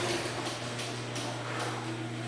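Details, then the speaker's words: North Central 9x8 garage door running on its opener, steady hum with a short squeaky scrape about twice a second; a hinge still squeaks, source hinge unknown, owner may re-lube the whole door. "that hinge still squeaks i have no idea what's making it squeak i might just have to lube it again"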